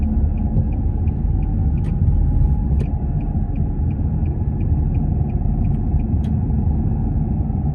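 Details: Nissan X-Trail T31: a steady mid-pitched whine over road rumble while driving; owner unsure whether the CVT transmission or a wheel bearing is the cause.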